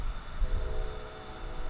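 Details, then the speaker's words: DJI Osmo handheld gimbal camera (Sony Exmor 4K), its built-in mic picking up the camera's own cooling fan: steady faint whine with low hum, constant pitch; normal fan noise. "That's the fan on the camera. So the built-in mic on the camera is picking up the fan noise from the camera's fan."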